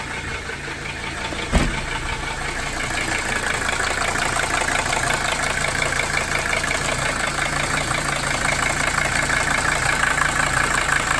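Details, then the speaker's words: 1982 Mercedes 300SD diesel after fitting bench-tested injectors, compression tested low: idle clatter rising a little with throttle, uneven soft beat, still smoking with blow-by; smoke probably from low compression, injectors seemingly made no difference. "there's still a lot of smoke. It's probably due to the low compression then, unfortunately."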